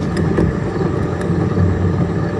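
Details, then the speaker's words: 1962 Chevy Corvair front wheel bearing rumbling while driving: low growl with irregular ticks. The bearing had almost no grease, gritty contents and a chewed-up race, and was refilled partway with bar and chain oil. "clean wheel bearing out but uh the race is really chewed up listen to"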